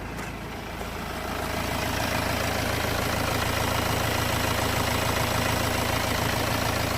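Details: 2008 BMW X3, believed 2.0 litre diesel, idling after refitting a pipe that came off because its clip was fitted backwards. Steady, even low rumble, no intake whistle or hiss; sounds way better, normal idle.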